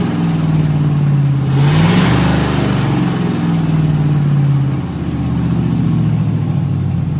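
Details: Solstice with swapped Gen V L83 5.3L V8, E92 PCM, PSI harness, stock drive-by-wire pedal pushed by hand: steady idle, one rev rises lazily and settles; slow RPM climb, owner unsure if due to stiff pedal, not yet logged.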